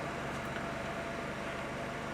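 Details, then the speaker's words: 2009 Honda Civic 1.8 16V idling after throttle body cleaning and adaptive parameter reset, AC cycling; quiet steady idle with faint constant tone, no oscillation or stumbling; normal idle. "Mas você vê que ele não oscila, né, ó."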